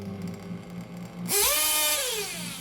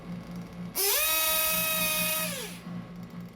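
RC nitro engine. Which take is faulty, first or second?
first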